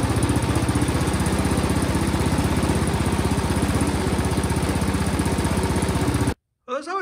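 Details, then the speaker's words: Toro Power Max snowblower that ran a few seconds then died: on starting fluid it fires with a rapid steady chug about four beats a second, then quits; gas leaking from carburetor bowl-to-body seal, fuel not delivered. "you see where the the gas is coming out from the seal from the bowl to the body of the carburetor so that would explain why it won't s"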